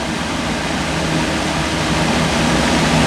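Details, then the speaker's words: Older 14-inch metal box fan, General Electric motor, probably 4-pole shaded pole drawing 1.4 amps, rotates counter-clockwise: steady even whoosh with soft low hum, no wobble or rattle; runs smooth, quiet and in decent balance. "It runs really smooth. It's in pretty decent balance. It's quiet."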